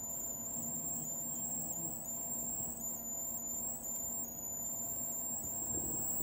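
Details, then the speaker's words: L&C LC-250ATX 250 W ATX computer power supply, switched on again after the polarity was connected incorrectly and a resistor glowed white hot: steady high-pitched electrical whine with a faint low hum and no fan rush. Damaged, dying supply. "those are not the sounds it's supposed to be making although I suppose you could say it wasn't supposed to be making any sounds to begin with"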